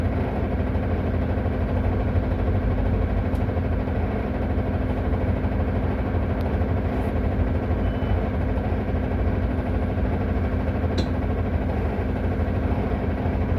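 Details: Solaris Urbino 18 diesel bus idling with the parking brake applied: dense, constant low rattle riding on the engine note; loud rattle at idle, cause unknown.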